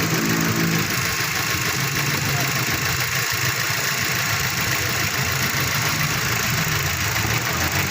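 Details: Mazda 3 with check engine light and code P0300 random/multiple cylinder misfire: loud petrol idle with an uneven, stumbling beat; spark plugs and throttle suspected; rough idle with misfire.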